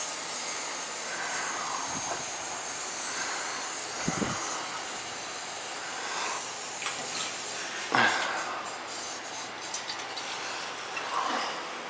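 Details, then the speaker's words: Gas-fired hydronic boiler heating zone: back-flushing the return line through a hose (three 25-foot hoses, about 75 ft, run outside) to purge air; steady rushing hiss with spurts and gurgles as air and water are forced out. "Probably best to back flush it first. Make sure that there's no air in on the return. Get the back flush the return first, good."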